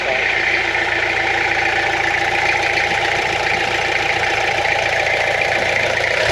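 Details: Restored Peugeot P4 army jeep diesel at first start since restoration, after glow-plug preheat, in neutral: steady, even idle with smooth hum, no knocks or misses. Normal idle, sounds healthy.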